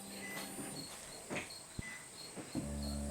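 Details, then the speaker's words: 2014 Nissan Rogue rear windshield wiper motor, dead since purchase after a front-end collision, now reinstalled and bolted up; key on, motor runs with a smooth, even low hum, no grinding, switching on and off normally after repair. "yep that's on it works yeah it's off yeah okay so we'll put the wiper blade back on and you'll be good to go"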